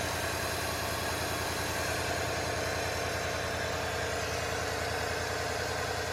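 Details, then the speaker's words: 1953 Ford Victoria flathead V8, rebuilt and long unused, started after refitting 6-volt coil and 6-volt battery with doubled-up cables; run briefly with no radiator water, slight blow-by noted; steady even rumble, no knocks or misses: normal smooth idle. "well I did put the uh 6volt coil back in and the 6vt battery and it did start up"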